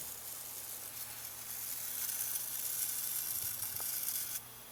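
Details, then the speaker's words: Atwood APS-5530 RV power converter from a travel trailer, outputting about 6 V instead of full DC voltage; a thin frying hiss builds then cuts out abruptly, traced to one of two high-frequency switching power transistors, output jumping around and briefly reaching 13 V. "oh boy yeah one of these power transistors that's what's making that noise"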